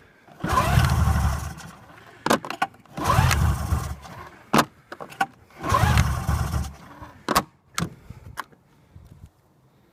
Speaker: what wants to start but for some reason it won't